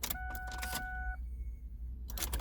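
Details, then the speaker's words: 1994-2004 Ford Mustang, key-on priming after fuel pump replacement: a steady mid-pitched electric hum for about a second, then a clean cutoff; the new pump primes normally. "so if you can hear the fuel pump now that's probably the best sound you're going to hear it means you did a good job now just prime it uh five six times key on here on build up the pressure in the fuel lines"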